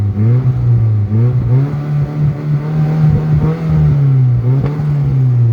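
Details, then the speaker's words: Nissan SR20DET under throttle: engine drone rises and dips unevenly, pitch sagging and recovering with stumbling clatter; hesitates and stalls under load, owner suspects a blown turbo and has ordered a new ball-bearing turbo. "yeah so I'm pretty sure that's a blown turbo just ordered another one a ball bearing turbo a brand new one so that should be all right"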